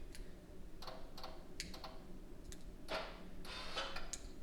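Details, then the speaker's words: Hyundai Elantra GT / i30 N-Line 1.6T, new XForce Varex valved catback exhaust, valve module temporarily powered from the 12 V socket for a test. Quiet, irregular sharp clicks over a low hum as the module cycles: normal exhaust valve actuator clicking. "Which is sweet. So that means everything's working. You can hear the module clicking, everything like that."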